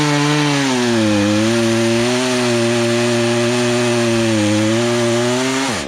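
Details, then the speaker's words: Poulan Pro two-stroke chainsaw, sat unused about three years, after carb adjustment; cutting a log holds a strong steady high pitch with slight sag under load, no bogging or stalling; chain teeth may need sharpening; running healthy. "okay so let's cut and fine besides i probably need to sharpen the teeth up but i got it where it's not stalling out as you're cutting through"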